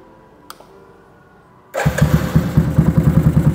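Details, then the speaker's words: Yamaha Scorpio custom build with a custom capsule exhaust: an electric start, quick crank and catch into an even, deep thump of about three beats a second; smooth, healthy start and idle. "mesin dari angal modified itu reel total ya jadi halus kali electric start aman"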